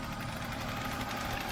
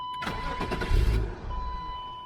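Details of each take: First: 1996 BMW 328is E36 idling after the idle air control valve was cleaned and the throttle cable tightened to crack the throttle plate open. An aftermarket air filter is fitted instead of the stock airbox. Quiet, steady hum with no surging or hunting; normal idle. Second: 1996 BMW 328is E36 being restarted after repairs. Starter cranks and the engine catches, then dies within seconds, repeatedly. It still smokes and smells bad; the cause is unknown.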